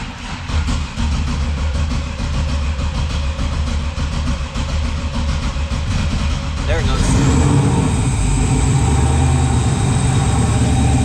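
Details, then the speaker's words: Freshly built 408 stroker LS in an S10, first start in park on a new tune: big V8 lopes with an uneven, sagging idle, then a steadier drone; rpm low and air-fuel ratio erratic, new wideband O2 acting up, small oil leak seen. "yeah that's not good air fuel ratio is crazy good RPM D that's low"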